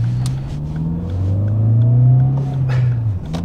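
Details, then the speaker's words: VW Polo 6N2 with no MOT and the engine light on, driving under load through third, fourth and fifth gear: a loud, low, boomy drone rising and falling, exhaust blowing. It drives well otherwise, with no misfires and good brakes. "sounds like I'm in a 17-year-old's first car other than that it drives really really nice fourth gear fifth gear it is a bit droney without exhaust but it drives nice"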